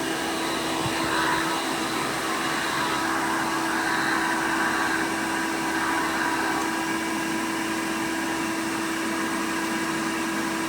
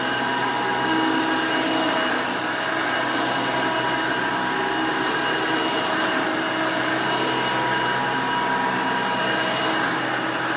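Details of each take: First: 1990 Hoover Elite 200 U4467 upright vacuum with attachment converter: steady motor whine with hissy airy edge around the tool connection; converter poorly sealed, leaking air and reducing tool suction. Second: 1990 Hoover Elite 200 U4467 vintage upright vacuum, 5 amp motor: loud, steady, even motor roar with high airy whoosh, no rattles or surging; runs pretty good, healthy.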